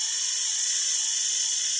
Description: I've made a basic re-motorization of this old Rivarossi Y6b but I'm not happy with the result. Way too noisy.